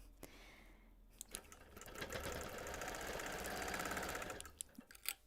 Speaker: So at the point of that flame, and again, like we heard on that plasticky printing, you can just hear the needle pop, pop, popping, powering through that embroidery. But it's okay.